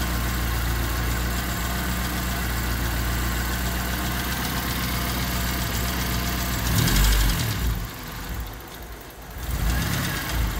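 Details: Honda D16Y8 (P28 ECU) whose idle holds, then sags and surges near seven seconds as if about to stall, a hunting idle; new spark plug wires and the cleaned, reinstalled IACV made no difference, cause unknown.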